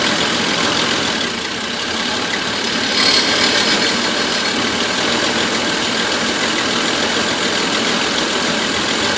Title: Van misfire